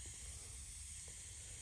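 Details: Air leak-down tester (a 1984-model unit) on a twin-turbo Hemi Dodge truck: a faint, steady, rhythmless high hiss of escaping air. The leak is in the tester's own supplied hose, not the engine.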